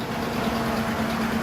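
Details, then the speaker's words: 2005 Ford F-150 5.4L 3-valve, timing job done 20,000 miles earlier, at rough idle with a loud fan. A tapping from the passenger-side valve train is loud on startup and constant afterwards. Failed or unreplaced roller followers suspected. "The loud tapping noise on startup, and it's constantly there afterwards. Definitely on the passenger side."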